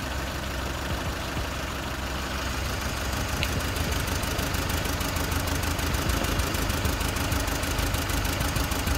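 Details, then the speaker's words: Four-cylinder car running on three cylinders, shaking and low on power: uneven, lumpy idle with about three stumbles a second over the engine drone, heard during a plug-pull test. One dead cylinder found with no spark; suspected damaged coil or wire. "which of this cylinder doesn't work we have four cylinder one two three four one of this cylinder doesn't work so this we will found out"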